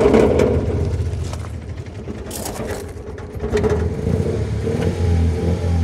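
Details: Ford Mondeo Mk3 1.8 Zetec petrol, restarted: uneven, lumpy, stumbling revving with poor throttle response and possible exhaust leak; check engine light with codes P0300, P0301, P0304 misfire.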